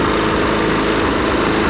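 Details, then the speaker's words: Husqvarna 510 MD push mower that had hit something hard with its blade, running before repair. Loud, lumpy, sputtering run with visible shaking; the ignition timing is suspected to be off from a sheared flywheel key. "okay guys so you see it is running but it's kind of cut like sputtering and you can even see it shaking a little bit here so I'm thinking that the ignition timing is out a little bit because they probably sheared the flywheel key"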